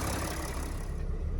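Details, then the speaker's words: Mercedes Sprinter 3.0 V6 OM642 diesel, previously in limp mode, just after intake swirl motor control bypass with resistor: steady even low diesel clatter at idle, no misses or hunting; turbo later heard spooling properly; normal idle. "oh yeah I can definitely hear the turbo spooling everything's working right"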